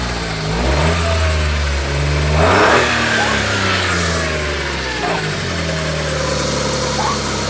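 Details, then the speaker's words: First-generation Smart Fortwo Cabriolet, first run since September, with the alternator belt (which also drives the water pump) off and the A/C compressor not engaging: revs rise and fall cleanly with no knocks or misfires. Normal running, revving. "you get aircom pulley the compressor's not kicking in that sound good that sound good does sound good so uh we proof she actually runs"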